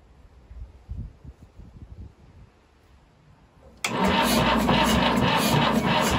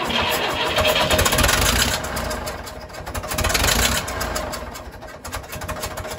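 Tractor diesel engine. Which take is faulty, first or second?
first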